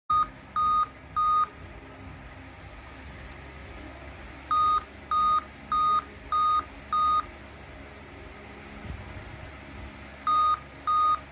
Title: laptop keeps beeping | laptop beep sound